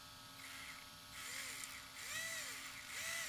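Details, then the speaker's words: ARRMA 4S BLX brushless RC motor after bearing replacement with Tekno 5x13x4 bearings. Previously it got very hot fast; now it sounds different and better. Clean whine rising and falling smoothly with throttle, no grinding or rattle. Normal running. "that sounds better yeah right off the bat it sounds different than last time so this is a good thing"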